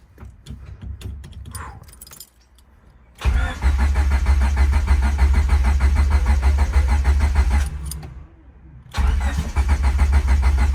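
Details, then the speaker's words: 1998 turbo Honda Civic first start after a transmission swap, low on fuel: cranks, catches and settles into a lumpy uneven idle with an extra rattly drone underneath; rough running, unknown noise, input shaft bearing suggested but looked fine. "she was a little rough I don't like that sound"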